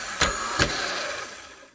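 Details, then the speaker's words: Honda Fit (2009-on) starter on the bench, solenoid jumped to engage: two sharp engagement clacks, then a dry, harsh whirring spin winding down; cold-start screech traced to worn starter bendix bushing letting shaft wobble, starter motor itself fine. "So it almost just sounds a little bit dry to me. So I don't know if it's just a matter of grease or if we really need a new bendix. Could be a war bushing maybe, making that shaft kind of wallow and vibrate in the end."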